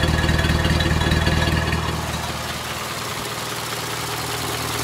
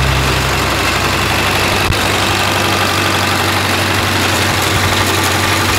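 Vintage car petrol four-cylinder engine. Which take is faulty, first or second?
second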